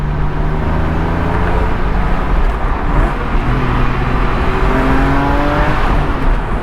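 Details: 2006 Porsche 997.1 Carrera 4S Cabriolet, manual, driving on Highway 101: smooth flat-six howl climbing in pitch through the gears over wind and road noise, even and strong; normal engine sound under acceleration.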